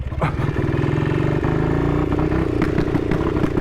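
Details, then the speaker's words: 1959 BSA single-cylinder at 7°C: uneven thump with stumbles and sharp pops, misfiring and backfiring; owner reckons the ignition key had fallen halfway out of the lock, between on and off, cutting the ignition out. "So, that was backfiring, and I thought, oh God, Dave, have you put diesel in it? But no, the ignition key had fallen out of the ignition lock, and it was halfway between ignition on and ignition off, and I reckon it was tripping ou"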